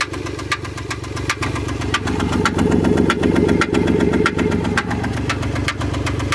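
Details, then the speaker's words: Chrysler Pacifica 3.5 V6, 128,000 miles, at idle: sharp ticks about four per second, no misfire stumble, no codes. Owner suspects rocker arm or lifter; cause unconfirmed. "Chrysler Pacifica. 128,000 miles. It has a tick."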